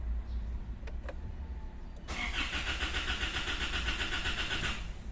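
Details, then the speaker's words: 2016 Isuzu MU-X diesel that died while driving, with key and battery already replaced: the starter whirs steadily for about three seconds but the engine never catches. Crank no start; a later scan shows a crankshaft position sensor circuit range/performance code. "Delete muna natin mga sir. Scan muna natin kasi ayaw pa rin niyang umandar."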